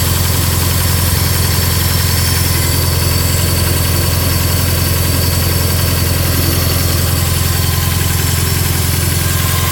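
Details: Bug-eye Subaru WRX with 2.5 hybrid engine, 1000cc injectors, catless up/down pipes: turbo petrol idling fast and unevenly with a lumpy pulse about three times a second, a rough high idle.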